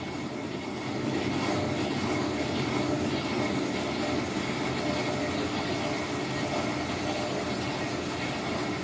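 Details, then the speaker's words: Whirlpool WTW4950XW3 washer on drain cycle, drum spinning: a steady, coarse rumbling roar with no rhythm, typical of worn drum bearings. Unit is expected to start leaking water underneath. "pero vamos a escuchar este sonido que es lo considero como típico de una lavadora con problemas de rodamientos"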